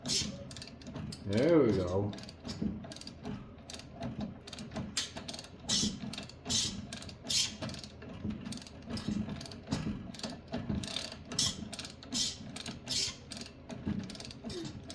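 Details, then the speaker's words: Yard Machine snowblower with auger turned by hand: slow, irregular ratcheting clicks and gritty scraping, as if something is catching inside the gearbox; cause suspected, not confirmed. "Oh, let's go back. What is that noise? Oh, not. Okay, let's go back the other way. Something going on in there."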